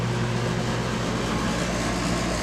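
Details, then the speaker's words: 2012 Bryant Legacy Line AC condenser outdoors at 66°F in October, with wind: steady low gritty buzzing hum over fan rush, begun around mid-August and growing, unlike earlier this season or last year; cause unclear; condenser buzzing. "Definitely sounds way different from the beginning of this cooling season and last year."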